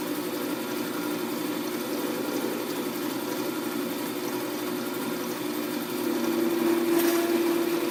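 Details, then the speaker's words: Wood-turned spinning top on the lathe during light, gentle cuts at one end: steady buzzing hum with a rough, fluttering edge growing louder near the end; workpiece vibration, to be cleaned up with sandpaper. "You can hear the vibration. I think I'm going to try to clean that up. I'll just use sandpaper."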